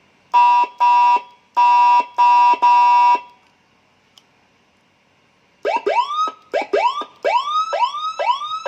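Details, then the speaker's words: Sirino siren module on 12 V battery supply driving a speaker, serviced for a broken crackling sound, tested at low volume: clean loud tone bursts then repeated rising whoops, crisp and undistorted; siren now sounds normal; original IC was a TDA2005. "Jadi kita coba pakai volume sedikit. Nah, kita tes dulu. Nah, ternyata suaranya normal."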